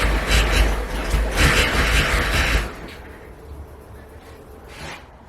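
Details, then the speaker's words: Nissan 280ZX with timing still unadjusted, after a new part: fires and runs rough and loud for a couple of seconds, then cuts out. It starts but won't keep running; owner next suspects a bad fuel pump relay not powering the pump continuously. "I think it should start and idle on it own not well might even die but it should start an idle"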